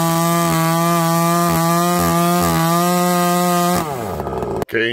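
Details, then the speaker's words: Husqvarna 288XP clone chainsaw with aftermarket parts, cutting: steady high buzz in the cut that sags and turns ragged as the chain dulls; the bar oiler isn't doing its job, and an OEM oiler is planned as the replacement. "I'm sure you guys can see and hear it change starting to go dull Euler's not doing its job"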